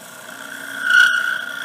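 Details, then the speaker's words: Small wooden bowl on the lathe, tool at the thinned outside edge: a high steady ringing tone swells for about a second; wall vibration chatter, so finish the outside before going deeper. "You hear that sound? That's that vibration that I was talking about if you start getting it down smaller. So that's why you want to be done with that outside before you go in any farther."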